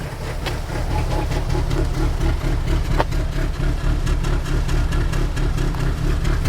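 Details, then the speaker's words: 2002 Nissan Altima with misfire and P0507 code, after replacing all four ignition coils and spark plugs, low compression suspected in cylinder three or four: low, uneven lumpy idle about two pulses per second, shaking, white then black smoke; rough idle. "as you can see it's doing again pretty much the same even with all four coils the smoke is white then this time is becoming black shakes looks like there is not enough compression here in cylinder three or cylinder four"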